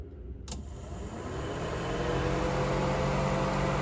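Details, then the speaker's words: 1971 Chevelle Malibu restomod with Holley setup, with long-running radiator fan faults: a click, then fan one spins up to a steady, even whir over the idling engine; cooling fan working normally. "guys hear that? Fan one working."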